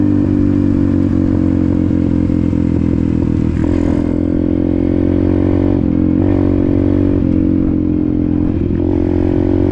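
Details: Apollo RFZ 125 X18 pit bike, after swapping the stock carburetor for a new NIBBI PE22 22 mm carb (jets unchanged, briefly adjusted), on a test ride: revs climb cleanly through several pulls and shifts with no popping or bogging; healthy acceleration.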